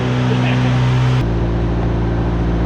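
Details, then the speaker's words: Cheap old Ford Ranger just after freeing stuck injector, following new fuel tank, pump and tune-up: steady even low idle, no misses or stumbles; engine purrs, bit smoky, fixed. "shoot it looks like it's fixed now we're just unstuck an injector that's awesome that was your purrs wow a little smoky in here"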